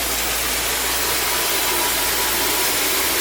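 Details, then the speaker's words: 1956 Cadillac Sedan DeVille on a cool day, after an intake leak was fixed: it kicks down to an even, smooth idle with no misses, knocks or hunting, partly under hiss. Transmission whine is noted separately; normal idle. "yep there it is kicked down it idle so smooth once we got that intake leak figured"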